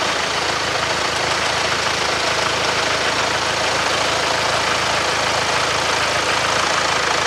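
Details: Jaguar Land Rover 2.0 Ingenium engine (Range Rover Evoque) idling with a busy, clattery rattle from startup. Slack timing chains are slapping their guides, worse when cold or present all the time.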